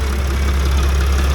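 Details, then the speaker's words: Extended Sprinter van diesel after replacing the pulleys and seals: steady, even idle with no belt squeak and none of the earlier bearing noise; running healthy. "my belts are good, not squeaking, nothing's leaking anywhere. So we're all good. No more of those nasty bearing sounds that I've heard."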